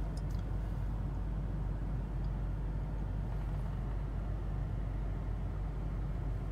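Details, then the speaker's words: Volvo with crank-no-start fault, after replacing the probably bad, possibly original pump electronic module (PEM) in the inner fender: low steady idle with even beat, no stumble or misfire; running again and idling strong. "yep so far so good we're back in business and it's idling strong"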